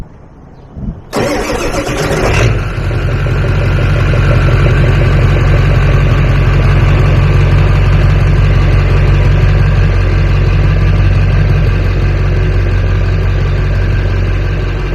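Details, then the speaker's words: Ford 7.3 Powerstroke diesel in warm tropical climate, starting on a rebuilt stock OEM starter with two charged batteries after a no-start. Strong, even cranking about 1.5 s, then clean start into steady diesel rumble; normal cranking and start. "well there you have it boys stock oem rebuild starter is just as fine as really high torque starter"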